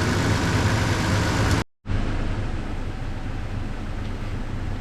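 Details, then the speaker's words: Chevy Express V8 van idling after an exhaust manifold repair. Steady, even, smooth low rumble with no exhaust tick or puff; it is now much quieter and sealed. "Hear how much quieter it is?"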